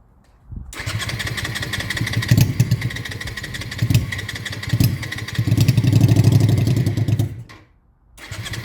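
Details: Honda Shadow restoration, after carb float work that had caused fuel overflow: fires, runs rough uneven idle about six seconds, dies, catches again. Starts then stalls; owner suspects too much air or battery.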